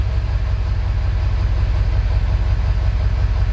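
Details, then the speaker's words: 2000 Ford F-350 7.3 Powerstroke diesel, 567,000 km, in for hard cold start, right after cold start: deep, lumpy idle, uneven thump about three per second; rough idle, injector problems suspected over glow plugs. "the way that that started up we're probably not going to see a lot of glow plug issues we're we're going to see injector issues"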